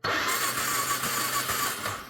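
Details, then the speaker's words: Carbureted ATV (four-wheeler) with a crank-no-start condition, seat and side panels off, spark plug grounded to the engine block for a spark check; brief starter whir, engine turns over but never catches: cranks, no start. "Secondly, we need spark, so I'm gonna check the spark plugs. Ground the spark plug to the engine block and then crank it for a second."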